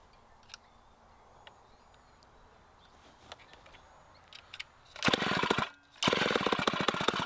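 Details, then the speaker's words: 1960s Homelite C-51/XL-12 two-stroke chainsaw after revival: the idle was set low and turned up, with some smoke and possibly wanting more fuel. It catches and rasps, drops out, then surges back unevenly. The saw is running erratically. "dang it man this saw is acting weird"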